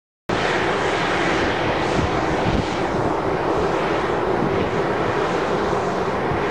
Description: Little Raith Wind Farm (9x410ft Turbines), noise pollution recorded from one of the turbines. All 9 turbines are producing a range of noise, but this particular turbine is noisier than the rest.